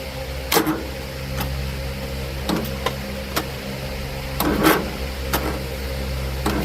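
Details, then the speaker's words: John Deere L110 automatic mower after carburetor swap, jumper pack connected directly to the starter and seat sensor jumped: fires up and holds a steady low drone, with some handling knocks and clatters; normal running. "Okay, that fired up."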